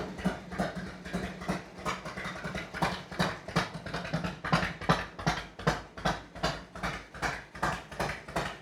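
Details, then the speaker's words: 1991 Harley-Davidson FLHTCU, cold start without choke, mic about 5 ft away: loping uneven potato-potato idle about 160 pulses a minute, steady and clean, no knocks. Healthy cold V-twin idle. "That's her. We are like 5 ft away from it, I guess. And that's the sound. I got three three bikes and all three of them sound totally different."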